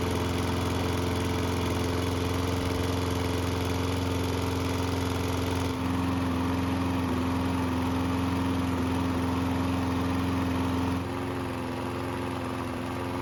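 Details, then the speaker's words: Used Toro mower engine, free and neglected, just fitted with a new belt; running after a two-pull start (one pull when hot) with a faint uneven beat, a slight miss; valve clearances suspected, not confirmed. "There's also a slight miss while the engine is running"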